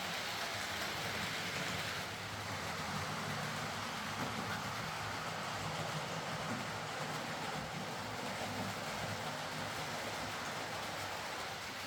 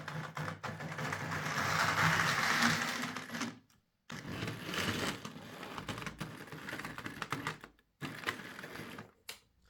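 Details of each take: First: Hornby R.372 Class A4 "Seagull" model locomotive, tender drive, running after repair: soft, even rolling whirr with light wheel rumble, no stutters or surges. Stop-start running was likely from excess axle oil spoiling electrical pickup. Runs fine and quiet. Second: Hornby R.372 Class A4 "Seagull" model locomotive, tender drive, before repair: small motor whirs and clatters, then cuts out dead twice before restarting. Severe stop-start running; owner also reported a body-amplified noise and loose wheels.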